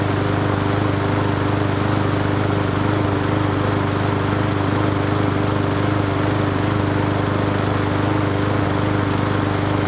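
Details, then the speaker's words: Free Hyper Tough 20-inch push mower, small single-cylinder engine, after cleaning carburetor and gas tank and adding fuel treatment: runs at steady governed speed, even beat, no surging or hunting, not shaking; healthy normal running. "Wow. Not bad, not bad. Not bad at all, not bad at all."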